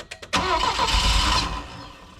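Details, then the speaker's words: Saab Sonett III, first start after the distributor rotor was reset 180 degrees with the engine at TDC. Two quick cranks, then it fires and catches into a running rumble; normal start, later found missing until all plugs were connected. "that sounded pretty good yeah give a little couple pumps"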